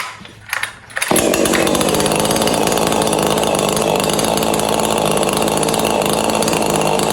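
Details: Neotec 843 chainsaw (Husky 543XP clone), mild-ported with squish clearance closed, first test start after releasing the choke: fires after a couple of pulls, then holds a steady, crisp high-revving buzz with no stumbling or surging; runs normally.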